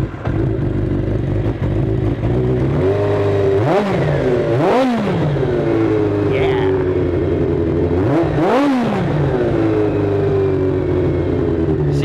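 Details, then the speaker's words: 1983 Kawasaki GPZ-550 garage find, carbs rebuilt with new float needle and seat, on choke: steady even four-cylinder idle with crisp blips rising and dropping cleanly, no hesitation; running nicely after repair. "okay so we got the bike running nicely it sounds fantastic everything's put back together"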